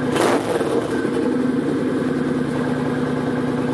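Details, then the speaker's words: Kawasaki Vulcan 900 Custom SE with Cobra Swept exhaust: one quick raspy throttle blip from idle with immediate kick, dropping back to an even, steady V-twin idle; clean response, healthy engine, normal throttle blip. "I'm just going to blip the throttle at first. It has that nice raspiness to it, a little bit of that immediate kick."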